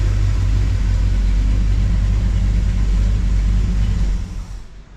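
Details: Truck after a broken header tube was repaired; deep, smooth exhaust rumble that holds then drops as revs fall, no ticking or puffing, exhaust leak fixed, a panel rattling.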